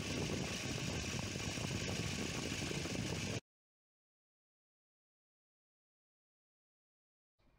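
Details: Volvo 240 B230F Redblock petrol engine with LH2.2 ignition idling steadily and evenly, with low piston slap, while ignition timing is set with a timing light to 12° BTDC after being several degrees off, then cuts to silence.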